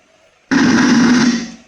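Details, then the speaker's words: F&D F2300X amplifier after power supply repair (capacitor, optocoupler, IC, resistor, TL431 replaced), ±12 V restored: sudden loud buzzing hiss with low hum from speaker, about a second then fades; sound fault remaining, cause not confirmed. "इस तरह का यह आवाज आता है sound का।"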